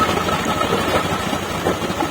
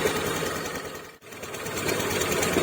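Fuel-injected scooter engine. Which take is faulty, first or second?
second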